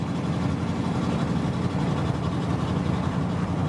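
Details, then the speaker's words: OBS Chevy 1500 pickup cruising after transmission replacement (old one blew up pulling car hauler), fluid barely on stick: steady smooth low drone, no whine, slip flare or clunk; transmission sounds healthy. "oh it's just like butter you're just gonna have to believe me guys and listen to it"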